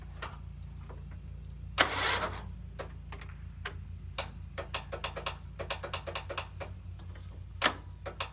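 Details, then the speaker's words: Riding mower tractor with replaced engine, battery on charge: sluggish uneven cranking that drags and never catches, clicks between attempts; weak battery. "Weak battery."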